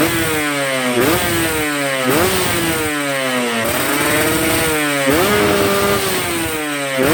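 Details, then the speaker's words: Two-stroke motorcycle, not yet warmed up, carburettor set lean at low revs and rich at high revs: sharp, crisp throttle blips climbing fast and dropping cleanly to a steady idle; a good, efficient carb setting. "Nah, ini adalah settingan yang kering di bawah, tapi di atas basah. Nah, itu settingan yang bagus."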